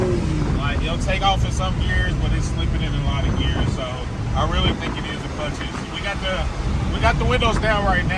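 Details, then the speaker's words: Car with automatic transmission while driving, revs flare and climb under throttle without matching pull, heavy wind noise; owner guesses worn clutches and plans to pull the transmission, still shifting into third; transmission slipping suspected, not confirmed. "mad yeah you think that's clutches if I had to guess"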